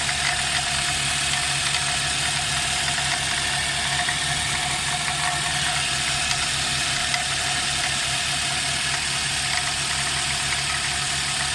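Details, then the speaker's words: Nissan X-Trail at idle: steady high squeal over smooth idle with faint rattle underneath, from the engine pulley area; worn belt tensioner squeaking, tensioner replaced. "this Nissan x-trail the engine is squeaking fully I think from the fully engine pulley if something is squeaking"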